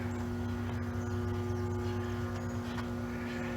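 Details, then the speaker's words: Home AC outdoor condenser unit, AC blowing hot air: fan not spinning, steady low electrical buzz from the stalled fan motor, which starts only when pushed with a stick; failed run capacitor, fixed by replacing it. "this is the compressor outside you notice right now the fan is not spinning and you hear it making that buzzing"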